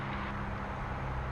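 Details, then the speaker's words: Aircraft run-up magneto check: steady propeller drone at even pitch with no roughness, within the 175 rpm drop allowed per side with at most 50 difference between sides, so the magneto is normal. "That's your right magneto, and it's telling you we lost 70 RPMs. We're allowed 175 RPM loss."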